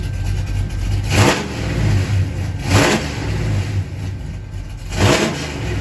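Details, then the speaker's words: 1977 Chevy Camaro V8 with new Pypes Violator exhaust and torque converter, phone recording: deep rumble swells into three sharp blips to about 3000 rpm, settling back each time, loud, no leaks; normal revving. "But here's what it sounds like in exhaust. Oh, that sounds great. That's loud."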